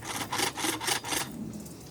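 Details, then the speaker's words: Team Associated RC8B3 nitro buggy, engine mounting after Reds clutch install: hand-turned gears give a rough rasping grind in short bursts each turn, spur gear mesh set too tight, needs backing out for heat expansion. "push that over and got it taut hear that that's too tight right there hear that"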